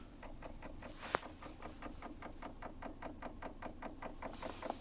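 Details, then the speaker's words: Hyundai Creta automatic, brake pressed with the lever in Drive, Neutral or Reverse: soft rapid tapping about four to five per second that comes and goes; intermittent knock, cause unknown. "значит при включении положение рычага либо в drive либо в нейтрали либо на заднюю передачу и нажатии тормоза возникает вот такой вот штук"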